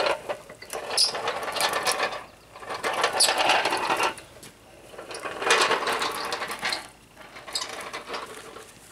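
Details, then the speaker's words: Child's ride-on toy after spraying WD-40 on the wheels and pedal pivots to cure squeaking: light rattly clicking rising and falling about every two seconds as it rolls, no squeak; pedal joints now quiet. "one more on there all right as good as new so uh very simple fix $3.50 probably last you a lifetime"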